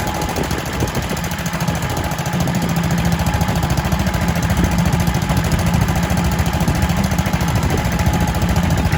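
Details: Kohler K91 single-cylinder petrol engine running after six years unused, once a stuck float was freed and an exhaust rigged in place of the rotten one. Steady, even thumping at about three and a half beats a second; runs lovely.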